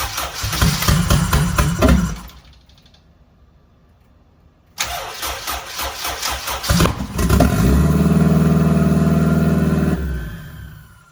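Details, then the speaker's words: First start-up of a home-built turbo Honda Civic EG: two cranking attempts, then it catches and settles into a smooth, even idle with no knocks and no leaks, some smoke; healthy first start. "oh that sounded good I think are we good over here no leaks oh oh my God that sounded good"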